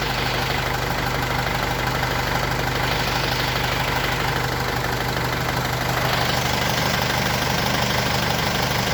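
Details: Mercedes W210 diesel idling during AC recharge with R134a after an AC-not-working complaint (refrigerant pressure sensor fault): steady idle, compressor engaged, even hum with no knock or rattle; normal compressor operation.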